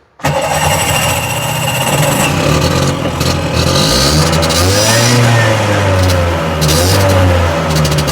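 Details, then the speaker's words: Tuk-tuk, starting unpredictably: catches after cranking, then runs with a wandering, uneven beat that surges and sags; rough lumpy running, owner suspects the carb is badly out of balance and plans to balance it. "But I think the problem is the carb's really well out of balance."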